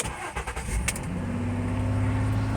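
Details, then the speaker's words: 2008 Mercury Mariner 3.0L that cranked but wouldn't start, after replacing the crank sensor, its wiring and the PCM connector: a short crank, then it catches at once and settles into a steady, even idle, with good crank and RPM signals. "all right there we go got a good crank signal got a good RPM signal"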